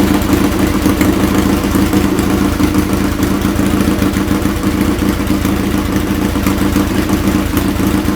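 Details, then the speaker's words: Restored Triumph Bonneville twin, rebuilt from parts, warm: steady, even twin-cylinder idle with a smooth beat, no knocks or rattles, nothing strange from the pipes; normal idle, healthy running. "And I'll tell you, it sounds good to me, and Good. nothing coming out, nothing strange coming out the pipes."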